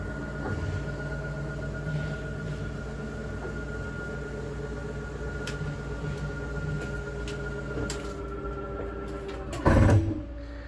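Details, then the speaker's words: RV slide-out retracting on switch: steady low motor drone with even whir, bottom comes in first, then lifts and a loud clunk/clicking as the room seats; normal retraction. "you'll notice the bottom of the slide out comes in first that's normal that's what's supposed to happen when it gets all the way in it'll lift up a little more and you'll hear a clicking"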